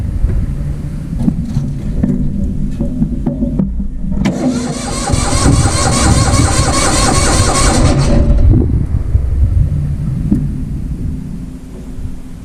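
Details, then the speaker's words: Vintage Hydra-Mac mini skid steer, restarted after it died: several seconds of uneven cranking, then it catches and races at a fast idle before easing off; owner suspects bad coils, not confirmed; high idle. "I don't like that it was running at a super high idle, but it was running."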